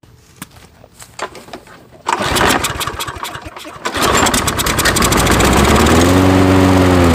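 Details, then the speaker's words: Toro mower with Briggs & Stratton engine, pull-started with starting spray: a few pulls, then it catches and revs to a steady run; starts only on starting fluid, owner suspects a carburetor blockage needing cleaning. "i believe like i believe it'll start and die which means there is a blockage in the car we'll have to take it apart and clean it and then try it again"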